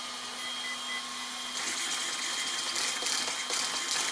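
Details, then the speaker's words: Hoonigan EX07 RC car after steering servo replacement: faint steady hum, then crisp rapid whirring bursts as the steering snaps side to side; the new servo responds much quicker and cleanly than the old one. "a good way to sell these servos fast we can hear it kind of banging away really quick check out that much quicker"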